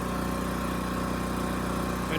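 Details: Champion 40026 generator (3000 running watts, 120 V) after carburetor cleaning (rusted tank): steady, even engine drone at governed speed under half load (1500 W heater), about 60 Hz, no surging, hunting or missed beats; running smoothly.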